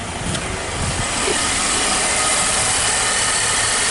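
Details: 2014 Nissan X-Trail T32 after replacing an incorrect, leaking number-one coil and its plug that caused random misfires and rough idle; it now idles evenly with a smooth hum and no skips, running cleanly on all cylinders.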